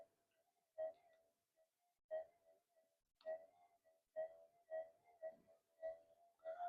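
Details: Near-new Minelab GPX-5000 being modded, tested with the amp cranked up. Each pass over a small target gives a clear, warbling mid-pitch tone burst about once a second, a normal detector response.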